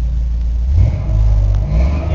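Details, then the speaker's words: 2000 Chevy Silverado Z71 V8 4WD, over 230k miles, cats and O2 sensors removed so check engine light on, cold after sitting 3 hours: deep even rumble, steady low pulses, no knocks or misses; idles smoothly, good oil pressure. "even without an O2 sensors with check Eng light on it seems to run good good oil pressure no fuel good voltage it's cold been sitting here for about 3 hours"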